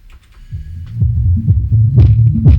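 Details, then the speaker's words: HK Audio Polar 8 speaker, subwoofer run alone with top unit disconnected: deep bass throb comes out muddy with buzzy rattling bursts on louder hits; suspected loose or overdriven/damaged speaker cone rather than amplifier, not confirmed. "So, although there could be a problem with the amplifier, I suspect That's a problem with the speaker. It sounds to me like something loose, or maybe this has been overdriven."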